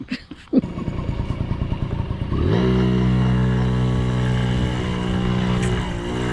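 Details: 1980 Yamaha QT50 two-stroke moped on its test run after eight years off and new fuel and oil lines, filter, petcock, throttle cable and exhaust gasket: a few kicks, then it catches and holds a steady, buzzy, quiet idle with no misses. Normal running.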